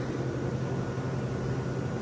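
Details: Vintage Westinghouse 10,000 BTU window A/C, powered through a long extension cord that is getting warm; steady even hum, low drone and airy rush, no rattles or knocks; normal running.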